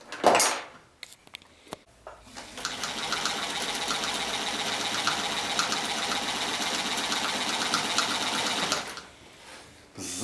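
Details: A Chaika-2 sewing machine with a metal half-gear replacing the cracked nylon one has had its gear mesh backlash reduced and timing reset. It runs with an even, rapid chatter of about four stitches a second, starting and stopping cleanly.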